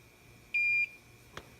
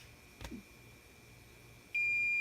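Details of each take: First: Hakko FX-951 soldering station with its speaker damped by 3M double-stick tape: a single soft, lower high beep of about a third of a second signalling the tip has reached set temperature. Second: Hakko FX-951 soldering station switched on with no iron plugged in: single steady high-pitched error beep.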